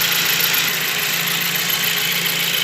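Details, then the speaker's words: Idling engine with shrill steady squeal and fast chirping; water sprayed on alternator/AC accessory belt stops the noise, showing dried-out, worn belt rather than idler rollers; belt needs replacement. "galera tô com isso aqui ó vou jogar lá na Correia ó e pode ver que parou barulho"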